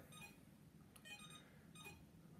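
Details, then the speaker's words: iLife V5 robot vacuum, a couple of days old, on charging cradle: three short high beeps a second apart while lights flash, then it carries on charging; when beeping it tries to rotate the brushes, sometimes pushing itself off the cradle. "keep charging simply you can see it beeps flashes the lights a couple times and then carries on charging so it's not happy about something"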